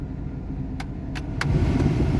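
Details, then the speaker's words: Chevrolet S10 blower with new blower motor, resistor and fan switch works on speeds one to three but not four; switch clicks, then the fan rush suddenly swells louder and holds as high speed comes on, pointing to an intermittently working high-speed blower relay. "On two, it works. On three, it works. And on four, it doesn't work. Okay. So, it seems to be the problem is that it doesn't work on four."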